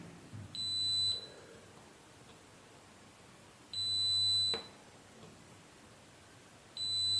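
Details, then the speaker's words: Spider MMA-600 IGBT inverter welder (LED flashing, display off, fan cycling): three sharp continuity beeps, repeating every few seconds, on a G40T60AN3H 40 A 650 V IGBT; collector, emitter and gate all shorted, IGBT dead. "Gate also short circuit, collector ammeter gate short circuit है, तो इसको तो check करने की भी ज़रूरत नहीं है, ये तो सिरे से गया।"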